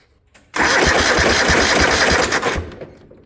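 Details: 1972 Gravely 816 with Kohler Command 18 engine, throttle and choke fully up: starter cranks steadily at about six even compression pulses a second; normal cranking, spark confirmed after finding the kill switch.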